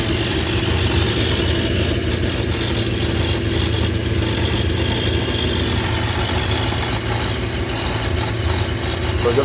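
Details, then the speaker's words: Holden VN Calais V8 build idling for the first time while base settings are set before the dyno: deep, steady rumble with an even beat, no tapping or stumbles; idling smoothly. "It's such an awesome sound just to hear it idle for the first time."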